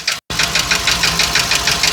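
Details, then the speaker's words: 2020 Ford F53 motorhome chassis, 7.3 V8 gasoline, P0301 misfire, knock began suddenly while driving: sharp, regular ticking knock about seven per second over idle, tied to engine speed during power balance test; valve fault on cylinder one. "Mucho ruido está haciendo el motor."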